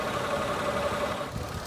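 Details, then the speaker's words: 2013 Mitsubishi Mirage Exceed, 1.2 L three-cylinder with CVT automatic: even, steady idle with no ticking or knocking; engine dry, never overheated; healthy. "Untuk mesinnya sehat sekali, dan untuk transmisi CVT nya juga sudah saya coba."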